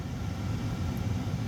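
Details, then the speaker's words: Prevost Vantare coach air-conditioning blower on high, powered through 120 VAC inverter bypass: steady low rumbling blower with even airflow and no knocks or squeal; fan running properly. "so I've turned on slow first then I'll turn on fast and hear it I ain't drawing too many amps in my folks"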